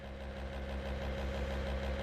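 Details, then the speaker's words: 1963 Corvair with a new Racers electric fuel pump fitted at the tank, first power-up to pressurize and check for leaks; soft steady low hum, pretty quiet, no rattle or whine, no leaks seen. "I'm not seeing any leaks. Pretty quiet. Okay. Not seeing any leaks, so I think I'll clean this up and let's get this thing back on the ground."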